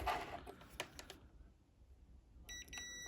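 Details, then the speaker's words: Electric shower thermal cut-out (TCO), which sits atop the heater, tested with a multimeter on continuity across its two terminals; after handling clicks a steady high meter tone sounds, showing continuity, so the TCO is good and not the no-hot-water cause. "we're getting a buzz. So this one's a good one. If it's making no noise, I'd know there's not continuity through it, so your heater will not get hot. This one is a working thermal cutout."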